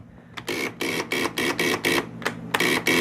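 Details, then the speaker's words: Arctic Cat ZL600 snowmobile after a top-end rebuild: rapid clicking, about three a second, with no cranking rhythm; the starter won't turn the engine over. Owner thinks the battery might be dead. "yeah i think the battery might be dead"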